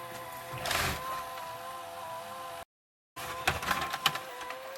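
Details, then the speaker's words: Pye VRD-300L VCR (1992 Daewoo chassis, saved from e-waste) rewinding: thin steady whine with a faint uneven edge as it strains; the drive belt is slipping. "Belt's starting to slip a bit. You can see that's going a lot faster than that is. And that's probably what's making that noise."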